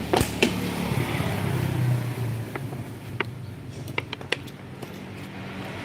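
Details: Small motorcycle engine in neutral, revved with fuel, idles roughly with uneven sharp knocks over a ragged rumble: connecting-rod play and knock after a previous shop's rebore installed the piston backwards; connecting rod replacement suggested.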